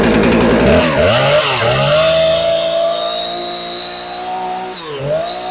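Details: Husqvarna 455 Rancher chainsaw, sat unused a couple of years and wouldn't start, after repair: revs up sharply a couple of times then settles into a clean steady idle; running normally.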